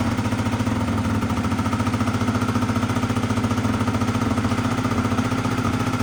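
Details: Honda Dio 100cc two-stroke scooter project, first start; fast, even buzz well above normal tickover, never settling, owner notes revs too high: high idle speed.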